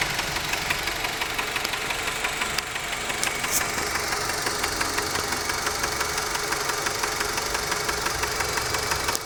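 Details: Mazda 6 1.8 petrol at idle: a light, regular tapping, about three per second, over the engine note; an engine knock, source not pinned down.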